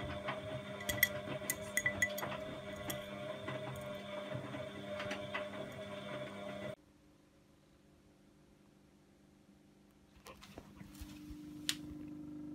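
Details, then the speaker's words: Bosch WFF2000 washing machine during the rinse: a steady electrical hum from the drain pump with clinks over it, cutting out and returning without draining; a pump fault is suspected and a spare pump is to be fitted. "So it sounds like a pump fault, actually. It's humming. It's gotten as far as rinsing. It's in a rinse. And the noise appears to be coming from the pump."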